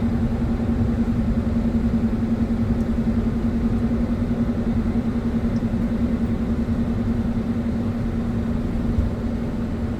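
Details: 2001 Ford Escape XLT 3.0L V6 automatic FWD, 167,000 miles: steady low hum with pulsing "whom-whom" droning while driving, louder above 45 and at 55-60 mph, absent at idle; tires and alignment fine, source undetermined.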